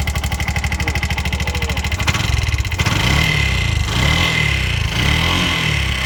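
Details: Bajaj BS6 single-plug motorcycle burning half to three-quarter litre of oil daily, tappet noise suspected: catches and settles to a fast idle with a steady high whirring on top; camshaft rocker found seized.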